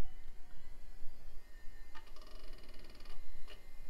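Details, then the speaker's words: Packard Bell PC with ceramic Pentium and Windows 95, after refresh with the power supply tested good: faint steady whir with a few soft seek clicks as the drive comes up to speed; normal, healthy hard drive spin-up. "and those are some happy hard drive sounds"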